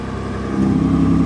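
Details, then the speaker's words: Car, revved with its exhaust valves, previously kept closed, now opening: the note jumps louder and deeper halfway through into a clean open-exhaust roar, with a little flame and slight smoke. "That's open. That's open. Yeah, that sounds sick. Oh, little flame. That sounds well loud, doesn't it?"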